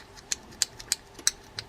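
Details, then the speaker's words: Quantum XR6 Long Cast spinning reel after servicing faulty bail trip mechanism and reinstalling spring: crisp evenly spaced light clicks about three per second as rotor turns; bail trip working properly. "you can hear it working well."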